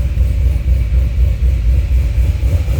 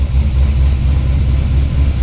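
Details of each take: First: C6 Corvette Z06 with Akrapovic dual-mode catback, cold start, exhaust valves closed: deep even burble at idle with steady rhythm, quieter and more raspy, fewer low tones. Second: C6 Corvette Z06 with Akrapovic catback, cold start after sitting a few days, chilly morning: deep lumpy V8 idle with uneven wavering pulse, car shaking; owner suspects misfire, bad plug or wire.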